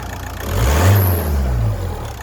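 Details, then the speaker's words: VW Golf Plus 1.9 TDI 90 bhp, 5-speed manual, running with the auxiliary belt removed: idle and one brief rev with no squeal or whir, so the earlier noise points to a pulley on the A/C, alternator, idler or tensioner. "okay the noise has gone so it's got to be a pulley um either the air con or alternator or indeed The Idler itself or the solid the tensioner so I shall investigate a bit further"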